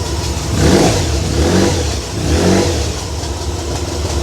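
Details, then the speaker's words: Honda VFR1200F V4 that misfired and wouldn't idle or rev smoothly below 4000 rpm, here with vacuum line connected and electrical cable disconnected: idles and blips three times cleanly; tapping heard, owner suspects exhaust valve bouncing. "That tapping noise you can hear, I think, might be the exhaust valve thing. I think it just bounces around in there, makes a noise."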